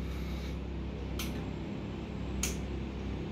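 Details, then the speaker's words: Removed oil pump solenoid valve bench-tested on a 14 V supply; two sharp clicks a second apart over a low hum as it snaps up, then it stays up without power and does not open fully, bore and piston scored; sticking solenoid valve. "Now there is no electricity. It went up, it stuck there, and didn't return back. Why it don't return back?"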